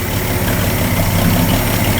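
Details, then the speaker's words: Freshly rebuilt 223 six-cylinder in a 1961 Ford F250 pickup at first-start idle: low, steady idle with an even beat, no knocks or misses; timing sounds close, belt possibly a little loose; normal idle. "chinesium carbonator sounds pretty good doesn't it yeah that timing sounds pretty close"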